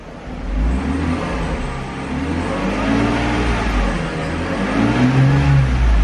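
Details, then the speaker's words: 1996 Mercedes-Benz SL320 straight-six, automatic, 247,476 miles, light left-front collision damage: engine revs up smooth and even with no knocks or misses, just a little belt squeal; normal rev. "Revs up nice and smooth. Just a little bit of belt squeal."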